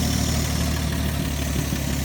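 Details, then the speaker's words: 1954 Chevrolet four-door six-cylinder revived after two decades sitting, running with no exhaust and no accelerator pump, pulling fuel without a fuel pump: low, steady idle with even throb and no obvious extra valve clatter; running great. "just no exhaust like usual no exhaust and no accelerator pump so both those are to be expected but damn that's running great"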